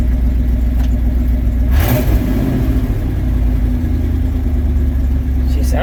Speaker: good Idol's right about idles right around 900 RPM ish